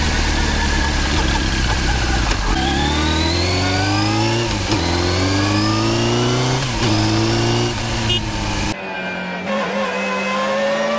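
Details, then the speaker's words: Motorcycle with a straight-cut gear transmission: high whine climbs with road speed in each gear, drops at every shift, then climbs again; ordinary straight-cut gearbox whine. "durante as trocas de marcha veja esses vídeos onde é possível escutar o Assovio do câmbio com engrenagens de dente reto"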